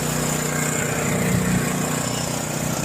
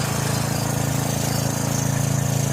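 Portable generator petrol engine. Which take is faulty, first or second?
first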